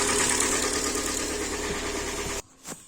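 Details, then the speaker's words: Hyundai Elantra (about 2014-15), G4NB 1.8 L naturally aspirated aluminum engine, automatic, 51,000 km, knock began after starting in severe frost: idle with steady repetitive light knock about three per second under the running note; internal engine knock at idle, cause not yet found. "слышно работу до вот так вот работает двигатель"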